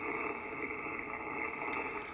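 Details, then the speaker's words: HF radio receiver on 10 meters, QRM eliminator not connected: a constant harsh buzzing hiss fills the band with no signal, power line noise. "my power line noise acting up i don't have the qrm eliminator hooked up"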